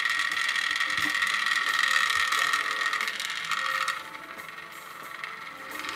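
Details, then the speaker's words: MP3-to-cassette adapter playing music from a Galaxy S10, heard through a headset: thin, poor playback over a fast, uneven clicking rattle of about four ticks a second. The adapter's internal cogs are rattling. "okay well it does play but it plays pretty shitty it's number one problem number two those cogs are rattling like no tomorrow"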